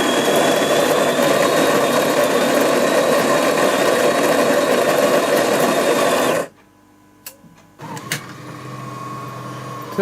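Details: AEG Electrolux coffee machine after repair of a jammed brew unit, which had hummed strainingly without making coffee; now runs a normal brew cycle with a steady buzzing drive, a short pause, then a quieter even pump hum.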